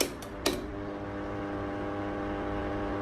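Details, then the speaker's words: 16-inch wall fan on speed 1, after running a while: steady buzzing hum with several fixed tones over the fan whir from the loose plastic motor cover vibrating; noise stops when the front cover is held by hand. "เนี่ตนี้ก็เสียงดังจะดังมากเลยนะครับครับมันก็ผิดปกติเนาะอันนี้เป็นรุ่น16นิ้วนะครับเวลาจับอย่างงี้หายหายจับหน้ากากอย่างงี้หายนะครับ"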